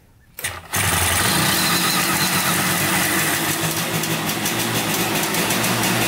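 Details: 1971 Yamaha CS200 two-stroke twin, sat over 17 years, on choke: catches within a second and settles into a steady raspy idle, no misfires, a little smoky; starts and runs fine.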